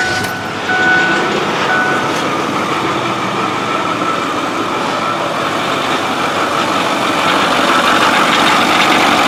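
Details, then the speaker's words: 6.4 diesel truck losing oil and smoking from the tailpipe despite filters, with turbos suspected. Steady running with a hollow whooshing whirr, like a cavitating power steering pump, and a faint tick about four per second. It sounds unhealthy. "we're not complaining about the engine which does not sound healthy"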